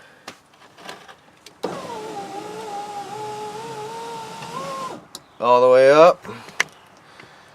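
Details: 2003 Chevrolet Monte Carlo SS power window after replacing the failed window regulator: motor pulls smoothly with an even, steady hum all the way up, no grinding or binding, then stops cleanly; normal operation.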